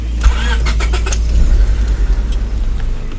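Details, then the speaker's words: 1997 Honda Civic EX, 5-speed, no modifications, radiator replaced after a crack leak: brief crank, then the engine catches quickly and settles into a smooth, low, even idle with no misses or knocking; a normal start. "So with that, we're gonna go ahead and start it up. Let you hear that it starts, all that good stuff."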